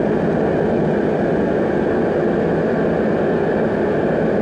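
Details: Riello RDB kerosene oil burner after new Danfoss 0.6 USG/h 60° EH nozzle, during pump pressure adjustment on the gauge (set around 8 bar): continuous steady roar, smooth flame, no pulsing or sputter; running normally.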